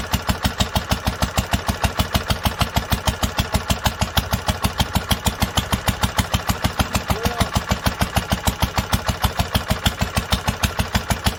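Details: 1946 International Harvester LBB 3-5 hp water-cooled engine on first cold start after sitting long covered, choked twice then started; slow crisp evenly spaced beats about three a second with steady deep thump: normal healthy running.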